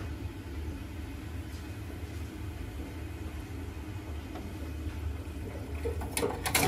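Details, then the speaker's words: Old Worcester 28 CDi boiler, no heating or hot water: steady low rumbling boil with crackles building as the boiler kettles because heat cannot escape; circulation issue, normally the pump not spinning. "so that noise you heard that was the heat not being able to escape the ball a lot and coming from experience you'll know that that's going to be a circulation issue and it's normally going to be an issue with the pump"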